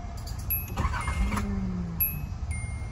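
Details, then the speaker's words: 1986 Nissan 300ZX 3.0 in a shop, no-start with power jumped to a wire: starter cranks steadily for several seconds but never catches. Mechanic suspects fuel starvation despite parts reportedly replaced; spark unchecked. "pero se me hace que esto es como si fuera gasolina como si le faltara gasolina en realidad"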